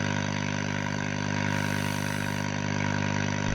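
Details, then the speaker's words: Scharnberg Strauss radiogram on external antenna, about 200 volts: steady hum and even hiss, no station audio; RF present but no stations, oscillator suspected not running, unconfirmed. "but we've got no stations. We may not have an oscillator running."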